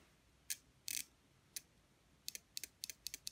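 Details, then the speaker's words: A washing machine PCB motor-circuit relay with 12 volts applied gives sharp, crisp clicks, single and in quick pairs, as it switches over and releases cleanly. This relay works normally, unlike the dud one beside it. "when i put 12 volts across it it should switch over like this so keep your ears open for a clunking noise"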